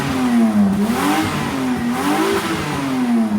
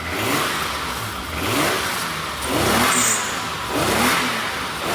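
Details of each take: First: Car with a leaking exhaust after a tape repair that blew off: loud, raspy engine note rising and falling with revs, with blatty puffing on top, still slightly quieter than before; exhaust leak. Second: Car with previously leaking exhaust after DIY sealing of flanges, sealant not yet cured: repeated blips with a clean, even, much quieter exhaust note, no puffing or ticking; exhaust sealed.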